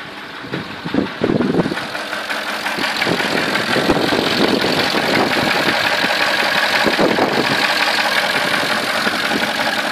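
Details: 2003 Porsche Cayenne S 4.5 V8 at idle, smoking badly from exhaust: rough noisy idle with irregular knock about three per second under heavy rasp; cause not confirmed.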